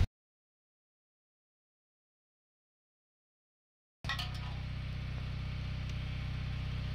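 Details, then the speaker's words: Mahindra Bolero BS4 diesel pickup that stalls after short distances: steady idle with a constant droning hum from the in-tank fuel pump, labouring because its strainer mesh is clogged with dirt; can damage pump; fix is cleaning the strainer. "জালিখনে যে ইমান লেতেৰা হ'লে টেংকি মটৰটো sound দিয়ে, কেতিয়াবা মটৰ বেয়া হৈ যায় ইয়াৰ কাৰণে।"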